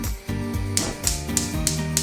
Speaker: The clicking is the igniter, and then it ignites the gas, and then you set the control to whatever setting you want it to.